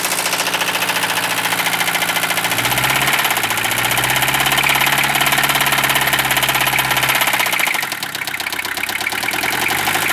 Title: RIP POOR OLD 1973 MERCEDES 220D DIESEL WITH ROD KNOCKING SOUND